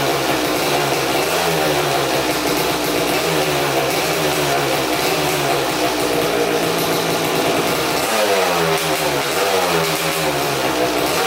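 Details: 2000 Suzuki RM250 two-stroke (249cc), unrun two years, fresh premix fuel, cleaned carb, good compression: harsh raspy blipping with a loud crackly bark at every rev; big split in the expansion chamber, basically straight-piped, needs welding.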